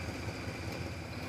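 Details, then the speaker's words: 1960 Chevrolet El Camino V8 freshly started after a long starter battle: a soft, steady idle with an even low pulse about five times a second and no knock, miss or smoke; sounds healthy. "It's not knocking. It's not smoking. Yes."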